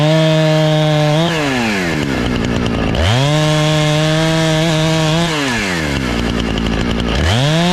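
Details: Husqvarna 455 Rancher chainsaw, after carburetor and fuel line repair and chain sharpening (had sat for years, died on throttle), cutting a downed tree: strong steady high rev through the cut, drops to smooth idle, picks straight back up; healthy saw.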